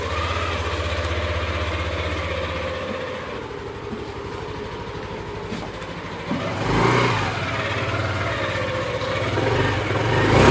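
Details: Yamaha NMAX/Aerox 155 scooter after a CVT service to cure judder and add power: idles, then revs up smoothly and the drive pulls cleanly with no shudder or rattle under load; the transmission sounds healthy.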